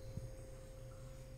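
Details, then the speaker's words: Low, steady hum with a faint constant tone and no knocks or rattles from the compressor of an AQUA AQR-D275R-BK refrigerator after 4 months of use, fan switched off; runs smoothly, normal. "Dan ini mesinnya halus, teman-teman bisa didengar. Tuh ya. Ini kipasnya saya matikan. Mesinnya halus, tidak mengalami permasalahan."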